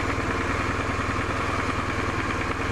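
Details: BMW R1100RS oilhead boxer twin, about 75,700 miles, warm, idling at 1250–1300 rpm with 18–19 psi oil pressure on a mechanical gauge: even, steady low beat with no knocks or ticks; customer's hot-idle oil-light flicker, engine sounds healthy.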